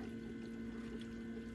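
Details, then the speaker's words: Land Rover Defender TD5 after fuel and oil filter change: ignition on without starting and accelerator pumped five times, the electric lift pump runs with a steady hum and airy hiss as air purges; normal priming of the fuel circuit. "and what that's doing is you can hear it's actually priming this for us so you can hear the pumper in probably hear the air running as well"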